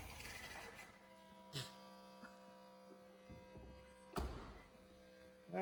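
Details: 1987 Dodge Dakota shop truck, carbureted with choke, electric fuel pump clipped to the battery, cold start: quiet, steady hum with an even tone and some handling knocks; catches and settles into a smooth, regular idle.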